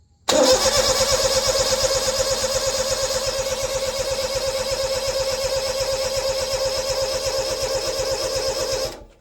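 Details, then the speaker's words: Honda Beat engine, blown with a suspected bad bearing, cranked to build oil pressure with fresh oil and filter: fast, even cranking with a metallic clatter on each stroke, suspected connecting rod shifting; the earlier knock is no longer heard. "there's a distinct metal that maybe connecting rod shifting maybe just a little bit"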